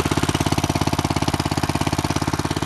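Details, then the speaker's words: Small go-kart engine, cold start in snow on half choke: a fast, even tick rides on every firing pulse at idle; valves clicking and ticking, no leaks; valve tick. "you can hear the valve clicking and ticking no leaks though"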